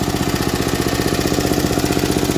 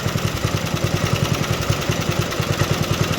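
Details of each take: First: Vintage MTD ride-on mower engine, idling: light even ticking in time with engine; tappets slightly ticky, lifters clacking a little, meaning clearance not tight, normal tappet tick. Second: Vintage MTD ride-on mower single-cylinder engine: ragged, stumbling thumps at fast idle as carb bowl runs dry; fuel starvation before stall.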